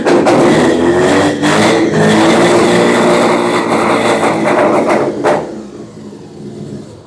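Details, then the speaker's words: 12A rotary engine in 1963 Austin-Healey, first run with rough carburetor and temporary fuel supply, through muffler: raspy buzzy two-stroke-like revving, blipping up and down then dropping; healthy running, cog belt faintly audible. "That is two-stroke snowmobile right there. That is cool. The muffler don't sound bad. No, it actually quiets it down a lot."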